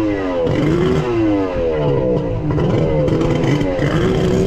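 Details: Kawasaki 1100 triple two-stroke jet ski (X2), cylinders just bored and engine reassembled: buzz wanders up and down, never climbs cleanly to high revs, bogs under load; ignition timing set wrong on the Zeeltronic CDI.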